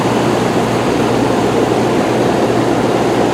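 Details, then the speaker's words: Rheem Classic central air condensers, including the 4-ton (2002–2003, Copeland scroll), first 2022 startup, house around 78–79°F; steady, even fan rush with low electrical hum underneath, no knocks or rattles; normal running. "This time I kicked it on and ran to the back door and made it just in time to hear it fire up, and I said, oh, there's that sound. There is that sound."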